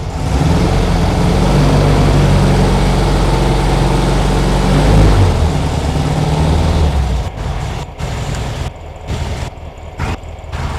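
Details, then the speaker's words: 1972 VW Super Beetle revived after sitting 10+ years, warming up with heat running: low steady idle with a slight rhythmic lope, still a little gallop rather than an even beat. Rough idle. "engine as you can hear she's waking up still a little bit of a Gallop"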